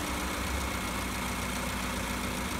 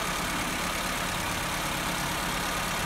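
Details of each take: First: Petrol car idling smoothly and steadily at normal low rpm, no hunting or surging, after adjusting a loosened electronic idle valve screw that had caused high idle. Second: Petrol engine with electronic idle valve and no fault codes idles steadily but too fast, because the idle valve adjustment screw loosened from vibration.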